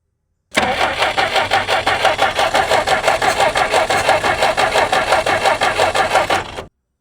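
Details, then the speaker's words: Jeep unrun for 25+ years, running on hand-fed fuel: it catches and runs a few seconds with an uneven, lumpy beat of about three pulses a second, then cuts out. Old varnished fuel is starving it. "That was a good little chunk. Smell that varnish fuel."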